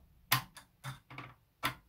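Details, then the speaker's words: Early Sega Mega Drive with black screen, case opened, power switch moved with a screwdriver: crisp, firm clicks, about five in two seconds, no rattle; switch snaps over cleanly, contact cleaner applied next. Healthy power switch. "let's try and move it with a screwdriver you can hear that click"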